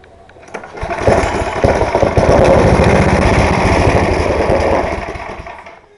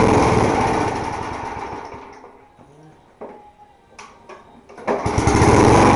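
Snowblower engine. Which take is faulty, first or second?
first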